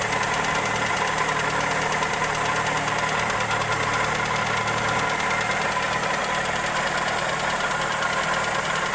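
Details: Toyota Corolla EE90 with 2E engine at steady idle: light, uneven tick about three to four per second; valvetrain or connecting rod suspected, cause not confirmed.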